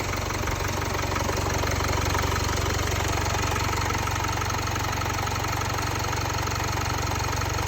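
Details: Jaguar XE 2.0 Ingenium diesel after the timing chain was replaced at 72,000 km: a steady, even idle with a smooth low rumble and no knocking or chain rattle. Noise and vibration are much improved. Normal idle.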